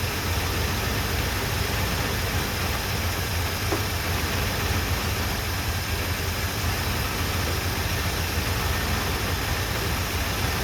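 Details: 1978 Chevrolet C10 V8, running off its gas tank after new plugs, wires and first oil change in 10 years: smooth, unchanging low idle with no ticking or stumbling; normal idle, fuel pump working, noticeable smoke.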